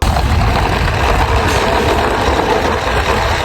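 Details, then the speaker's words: LG air conditioner indoor unit with loud rough steady rumble and heavy vibration; blower motor runs but the damaged blower wheel does not turn with it. "ఇంకా AC sound తో పాటు vibration కూడా అవుతుంది. నాకైతే problem తెలిసిపోయింది, ఒకసారి మీకు చూపిస్తా చూడండి."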